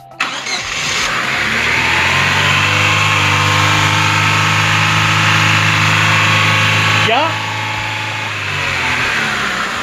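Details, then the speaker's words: 2010 Chevrolet Aveo with several faults including occasional black smoke: catches and flares to a high steady idle for several seconds before revs sag; idle too high at start, ECU fault suspected, unconfirmed. "como pueden ustedes notar el motor en el momento en el que arranca en el que se pone en marcha se queda totalmente acelerado las las revoluciones se van excesivamente hacia arriba"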